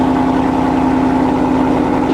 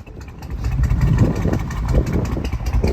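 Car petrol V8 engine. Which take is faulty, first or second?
second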